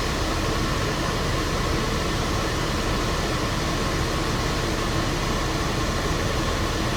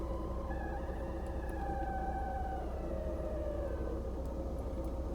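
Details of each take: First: 1992 Mercedes-Benz 300E (W124) climate control with an intermittent fault where the A/C and blower quit, hot air blasts from all vents and the recirculation light flashes. Here the cabin blower rushes steadily, then eases as it starts cooling again; normal blower operation. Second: 1992 Mercedes 300E W124, climate control failing: A/C and blower quit, hot air at all vents, recirculation light flashing, 82°F outside, engine near 100°C, 13 V; steady blower rush with thin wavering tones, cause not yet traced.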